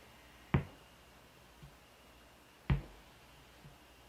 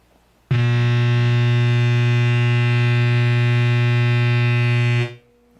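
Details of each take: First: ADA MP2 preamp after replacing R913 to fix a loud hum: at idle with the noise gate off only a faint, even hiss remains, likely from old capacitors, with two sharp clicks. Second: ADA MP2 preamp with noise gate off, no guitar plugged in, effects off: loud steady low buzz with a bright edge cutting in and out; mains hum from the unit itself, fixed by replacing failed resistor R913.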